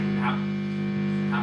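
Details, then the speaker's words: Electric guitar plugged into an amp: a constant low hum that changes only slightly, and does not go away, when the hand touches the jack. The cause is rust on the output jack insulating the contact; the fix is cleaning the jack. "เราเสียบเข้าไปจี่ฮัมไหมครับมีเสียงนะเอามือจับหายไหมครับเสียงเปลี่ยนเล็กน้อยนะแต่ไม่หายนะครับ"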